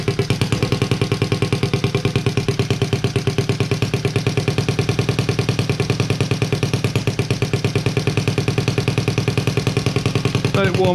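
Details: Honda Z50A monkey bike, first start after fitting CR70 stator with original flywheel, manifold not connected to silencer: quick even patter about three beats a second, steady and settling as it warms; normal running.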